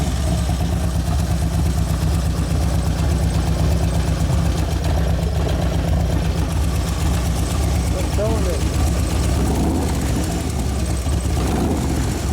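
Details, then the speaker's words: 2011 Harley Road Glide FLT Twin Cam, hot and warmed up: rough idle with fast light clicking and uneven lope, one cylinder dropping out; owner says it wouldn't accelerate until about 3,000 rpm. Cause not yet found. "so i was like why is it running one cell and here dropped the cylinder yeah and i was trying to accelerate it wouldn't go it wouldn't go it was on one turn"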